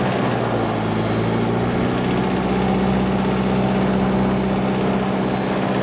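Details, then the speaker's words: Lycoming fuel-injected Mooney M20J, hot-started just after landing: low, even idle back at about 750 rpm just before shutdown, no misses or stumbles. Normal idle. "and we're back to about 7:50 I'm going to shut her down"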